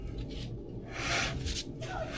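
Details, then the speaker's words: 1959 Plymouth Fury drum brake with new Total Contact shoes and rebuilt wheel cylinders, drum turned by hand while adjusting the 7/16 adjuster: scraping rub each turn, heavier in pulses; shoes adjusted too tight and dragging, back off about half a turn. "See, it's too much. Back it off about a half a turn."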